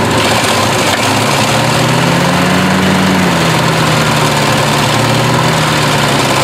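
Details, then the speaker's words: 1968 Chevy truck unrun 15 years, points cleaned, gas fed by hand: steady running engine with even low rumble and slight pitch rise then settle, no misses, massive exhaust leak; fuel system still priming. "I guess we just gotta basically run this thing until she gets enough gas in there massive exhaust leak though"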